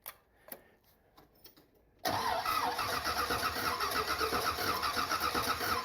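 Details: 1979 Corvette with new glasspack mufflers, started after sitting a few days with the choke not hooked up: quiet clicks, then an even, mild rumbling idle that sounds better than before, with no lifter noise. There is an exhaust leak on one side.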